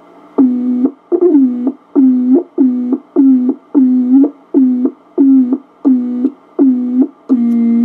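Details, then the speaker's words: Tube-type Heathkit VF-1 VFO keyed in tune position: a dozen keyed tones sliding down in pitch at each start with sharp clicks at each edge; keying chirp and key clicks. "And we'll key it. That's this one. You hear the chirps and the clicks?"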